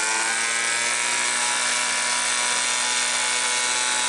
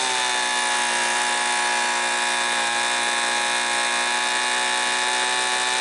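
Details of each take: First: Homelite Mighty Lite 26B two-stroke blower bought from a garage sale and said to be non-running, just fitted with a new aftermarket carburetor: steady high-pitched buzzy drone at fast revs, a touch thin and raspy; sounds slightly lean before carb screw adjustment. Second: Homelite Mighty Lite 26B two-stroke blower from a garage sale, which had not been running, fitted with a new aftermarket carburetor and adjusted after sounding slightly lean: steady, high, even scream at wide open throttle, no surging; normal WOT running.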